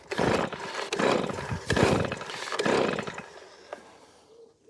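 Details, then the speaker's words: 2020 Titan two-stroke leaf blower (TTL684BVC), primed, with throttle and choke on. Four rough pull-cord rasps about a second apart and it never catches. Suspected no spark: cranks but won't start. "that's not even doing anything that feels to me like more of a no spark issue"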